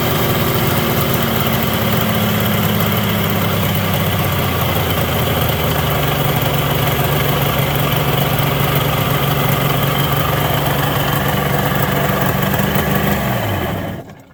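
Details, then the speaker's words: ZRT 600 two-stroke triple snowmobile idling high near 3000 rpm; brake cleaner sprayed at crank seal, pitch slowly sags lower. Crankshaft seal air leak. "just sprayed this down in there the rpm just slowly started to drop on its own so that seal there is fubared"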